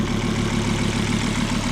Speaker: sounds good now that's weird i'm gonna have to take it for a drive and then see how it sounds because it sounds good now